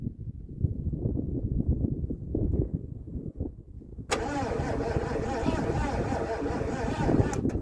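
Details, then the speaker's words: Abandoned Mercury, sat 13 years, with a used parts coil and new electronic ignition module fitted; uneven, slowing cranking as the battery dies, never firing; no spark or coil activity, wiring suspected. "All right, so what I've done off camera is threw a new coil in it, not a new one, but a parts coil and nothing. We don't have any coil activity."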